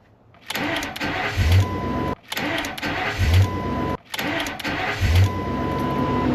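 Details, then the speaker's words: Ford Excursion with a messy aftermarket remote-start alarm installed: three start attempts, each opening with a sharp click before the starter catches and cranks; the starter does not actuate on the first hit, possibly due to the alarm wiring. "This thing just constantly clicks. The alarm system doesn't work. Try to start it. It clicks like it it doesn't exactly actuate the starter first hit."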